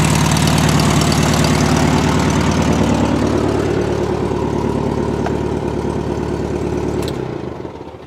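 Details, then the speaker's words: 1971 VW Super Beetle air-cooled engine at a loud, steady, even idle with no misfire, then winding down at shutoff, after carburetor cleaning, valve adjustment (all too tight) and suspected debris in the tiny jet by the size 60 idle jet; idle later became inconsistent again. "And I think there was something actually inside that little tiny jet by the idle jet. And it seems to be working."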